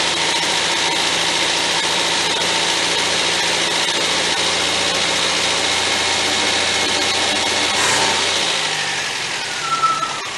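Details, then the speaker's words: 1977 MGB after budget rebuild, coil fed 12 volts from fuse box, wiring still faulty: steady idle with an even exhaust note, no knocks or misfires; engine sounds healthy. "Like I say, other than the wiring issue, the engine works good, runs good, sounds good."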